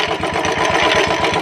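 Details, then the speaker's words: Royal Enfield Classic 350 BS4, loud gritty chatter of about ten beats a second over the idle from the clutch side, seeming to come from inside the engine; clutch cover to be opened, noise typical of a worn starter pinion. "आवाज सुनो। देख रहे हो clutch के side से काफी ज्यादा आवाज आ रहा है।"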